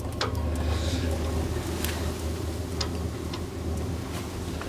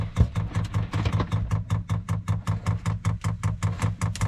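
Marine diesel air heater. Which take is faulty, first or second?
second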